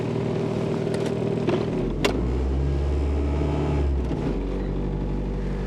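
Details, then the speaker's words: 1990 Chevrolet Cavalier, possibly around 90,000 miles (odometer suspected rolled back), cold start with worn engine mounts: foot on brake, shifted into gear, engine flares to a higher hum for seconds before the transmission slowly engages; delayed engagement, cause unknown. "revs up and then takes an hour I don't know but off we go"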